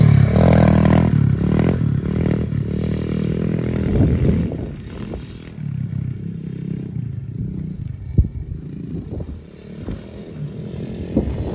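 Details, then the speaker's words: SSR125 single-cylinder pit bike, final ride after full rebuild with crash-bent frame straightened and reinforced: revs cleanly, pulling without stumble or hesitation as throttle comes on. Normal running under load. "running really good everything nice and straightened out frames reinforced it should be mint so we're going to take it for one final ride and see what it can do"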